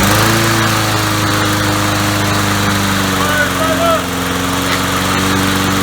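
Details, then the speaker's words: Swapped engine on a lawnmower with a new carburetor, no air filter yet, just started, smoking a little: steady even drone at constant pitch, no knocks or misses; normal running. "we're smoking a little bit but she starts there you have it motor swap motor starts"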